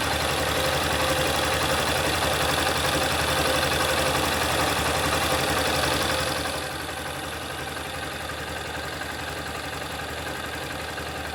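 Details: 2021 Honda CG Start 160: steady, even single-cylinder idle with a smooth beat and no knocking or tapping; quieter than the owner's previous 125, with no knock whether cold or hot.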